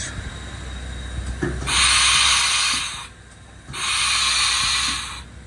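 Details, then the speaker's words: Old auction Haas CNC machine, US 230 V 3-phase converted to 415 V, air pressure slightly low, tool changer arm cycled empty: two long loud air hisses, sluggish cycling; suspected faulty quick exhaust valve or clogged bronze exhaust silencer, probably needs cleaning. "it's very slow if you can hear that which normally means that the um hump free quick exhaust valve is knacked"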